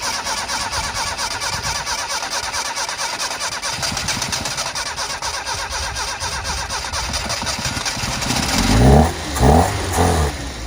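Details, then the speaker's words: 1988 Yugo GV (old Fiat design), first start after sitting about 20 years, fuel fed into the float bowl, new battery only: engine catches and runs steadily with a few throttle blips, no knocking; sounds mechanically sound. "go wow so with some fuel yeah it'll keep running"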